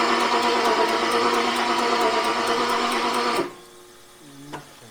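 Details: Abandoned Jaguar XJRS V12, first start attempt on a spare battery with a temporary fuel feed, fuel pump running and throttle slightly open: rapid, even starter churning for about three seconds with no firing, then stops. Cranks but won't start; cause not yet found.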